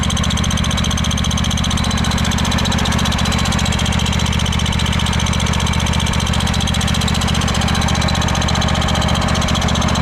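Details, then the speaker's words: Craftsman DYS4500 riding mower, 26 hp Craftsman Courage engine, about 800 hours, after sitting over a year; steady quick engine thrum with thin high squeak over it; source unknown, owner suspects valves need adjusting. "Not sure what that squeaking is. We might have to look into that, too."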